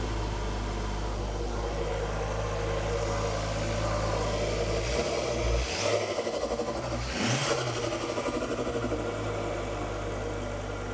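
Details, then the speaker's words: Ford Focus ST after a complete engine rebuild for bearing damage, second start after tightening a fitting at the back of the engine bay: fires, blips twice, settles to smooth even idle without knocks or ticks; running nicely, smoke from spilled oil. "Running nicely."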